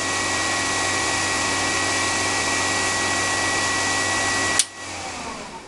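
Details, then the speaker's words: AMD K6-2 desktop PC: steady loud airy whoosh with faint constant hum before cutting off; noisy cooling fan awaiting replacement, though the fan stayed no quieter after the upgrade. "You can probably hear the loud fan on this. I have a replacement for that."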